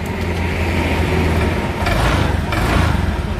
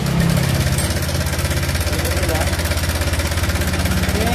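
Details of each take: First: Honda Vario scooter idling smoothly after replacing a faulty crankcase breather hose (stop kamprat) that caused the rough engine sound, rather than the connecting rod the owner requested; normal idle. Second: Honda Vario scooter idling: coarse, rapid clatter from the middle of the engine, about three beats a second; owner wanted piston rod replaced, but worn cam chain tensioner suspected; cam chain tensioner rattle.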